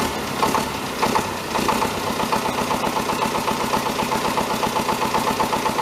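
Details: David Brown 1490 tractor diesel, first run after engine rebuild: uneven idle clatter with a light knock about once or twice a second; fuel injection knock suspected, injectors being reconditioned.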